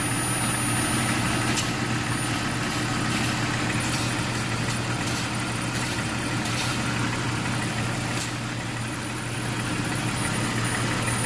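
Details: 2001 Jeep Cherokee at idle: steady thin high-pitched whistle throughout; not the exhaust manifold, found by spraying water on vacuum lines to be a leak in a cracked vacuum line.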